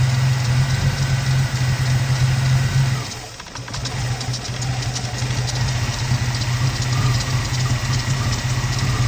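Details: 2002 Ford Mustang 3.8 V6 automatic after replacing PCV valve and breather hose: uneven, lumpy idle that sags and nearly stalls before recovering; owner suspects a remaining vacuum leak; rough idle, cause unconfirmed.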